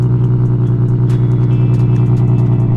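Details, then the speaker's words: Nissan GTR R35 at cold idle after cold start: deep, steady low rumble with even unbroken beat, no knocks or ticks; healthy, how it's supposed to sound. "Take notes, VQ boys. That's how it's supposed to sound. Yeah. Nice, like, deep tone."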